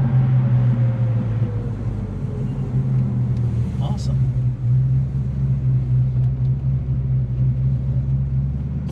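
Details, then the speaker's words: 1970 Dodge Dart Swinger 340 V8, 4-speed, warm, rebuilt after catastrophic engine failure, carburetor reassembled by guesswork: deep idle with an uneven loping beat, about two lumps a second, a touch fast; lumpy idle, cause unconfirmed. "yeah hopefully you can tune some of that lumpiness out oh yeah it will it'll go it's uh sounds like it's chomping at the bit"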